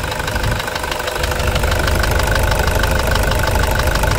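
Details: Toyota Hilux 2.5 diesel, warm idle, uneven knock about three per second over the clatter that began after warming up; owner suspects an injector, not confirmed.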